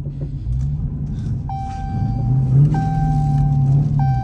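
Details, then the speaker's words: Rebuilt 2019 Dodge Challenger on first test drive: irregular metallic clacks and clunks under the car over road rumble, like metal hitting; cause found to be a missing sway bar bushing. "Something is like hitting metal under there or something. I don't know what's going on. Okay, found our issue. The sway bar bushing is gone. That's what's making all that noise."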